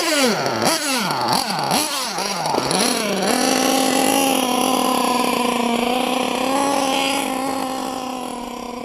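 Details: LRP .32 engine with a Novarossi race carb on its first full-throttle run of the day: a few sharp revs, then a thin, high scream held flat out that sounds strained. The high-speed needle is slightly lean, though not far off.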